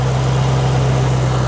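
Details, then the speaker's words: 2008 Roush 427R Mustang V8, 72,000 miles, salvage car, warm: deep steady burble at idle with an even low hum and no knocks or ticks; absolutely quiet, sounds healthy. "Absolutely quiet. Purrs like a kitten, man."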